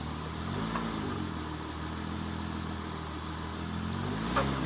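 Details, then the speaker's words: 2002 Acura TL-S in drive with a little gas, heard from outside: the engine idles and dull clunks knock through as it loads up. Worn front and side engine mounts show excess movement, with less in reverse, and need replacing. "definitely hear that clunking going on let's try it in reverse now give it a little gas not nearly as much movement in reverse as in drive"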